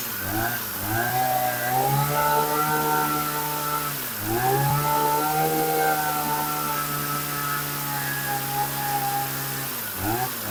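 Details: Dolmar hedge trimmer after replacing leaking fuel lines: small two-stroke revs up and settles into a clean steady buzz with no stumbling. Normal running.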